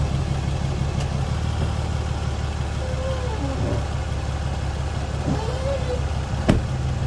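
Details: Ram 2500 at steady low idle with a couple of sharp, isolated pops several seconds apart; popping noise, source not identified.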